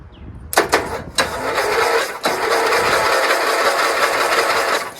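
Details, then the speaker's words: Dayton lawn tractor's 11 hp Briggs engine, spark plug removed, cranked by jumping the solenoid after fixing a loose connection: starter whirs slowly and unevenly after clicks; owner suspects a weak battery and jumper; no spark yet. "And it cranked really slowly. I took the spark plug out so that it will crank easier. I think maybe the battery's just really weak in the jumper, you know."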